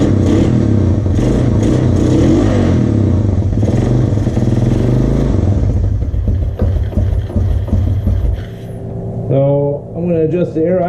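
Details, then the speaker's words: 1986 Honda TRX 200SX ATV, single-cylinder, running on its freshly cleaned carburetor with the choke off: loud steady thump that settles and dips as the air idle screw is adjusted slightly; runs evenly, normal idle. "you guys heard it there we got it right I didn't take too much adjust the air idle screw just a little bit there"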